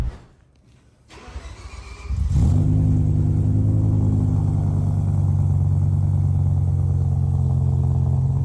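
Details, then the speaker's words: BMW M5 E60 with Super Sprint header, cold start recorded on iPhone next to driver door: loud, raspy deep idle with puffing; severe exhaust leak at header joint. "I mean, you can clearly hear that it's really bad."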